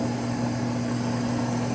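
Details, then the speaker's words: Rebuilt 1949 table saw, new motor just mounted with pulley aligned and belt snug, run without a blade: steady electric hum with an even pitch and light belt whir, good belt tracking, no knocking, rubbing or wobble; the motor runs smooth. "like everything is going pretty well good tracking on the belt motors running smooth"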